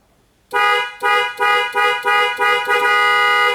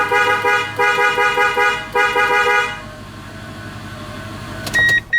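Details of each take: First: 2001 Toyota Tundra whose horn, cruise control and airbag light all failed together: seven clear, strong horn blasts with the last one held, with the horn wired direct, proving the horn works and the clock spring is defective and needs replacing. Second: 2001 Toyota Tundra after a new clock spring was fitted: a strong, full horn tone in a string of short blasts, then brief chirps; the horn works normally again and the airbag light is off.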